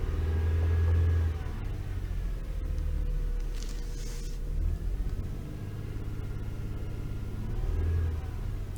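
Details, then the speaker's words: Toyota 3.0L/3.3L V6 at idle and revving with check engine light flashing: lumpy, uneven stumbling rumble, steering wheel vibration; misfire, suspected faulty VVTi oil control valve, later replaced, curing shaking. "really bad. I can feel the vibration on the steering wheel."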